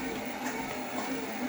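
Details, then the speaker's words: Torneo Inita T-150 treadmill after cleaning and tightening all deck bolts on the left side to cure a deck squeak: steady motor hum and soft belt rumble, squeak gone; normal running. "вот подтянул все болты вот этого противного скрипа нет вообще слышен мотора"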